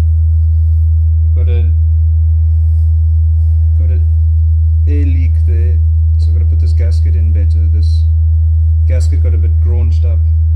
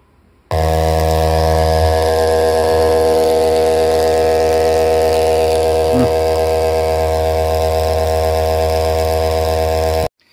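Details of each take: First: JBL Charge 2 Plus reassembled after fixing something that tapped the back of the diaphragm on large excursions; a clean, steady low test tone with no buzz or rattle; normal speaker output. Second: JBL Charge 2 Plus speaker driver on a test tone, swapped onto the other amplifier channel to isolate the fault: harsh, buzzy, raspy note; a bent copper wire was tapping the diaphragm at large excursions. Speaker driver distortion.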